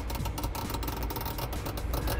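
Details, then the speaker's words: Frigidaire fridge with an older mechanical defrost timer, turned by flat-blade screwdriver: light ratcheting clicks roughly four a second over a low background rumble as the timer advances normally through its run period. "you start hearing that you're you're what you're doing is advancing through the run um time on this guy"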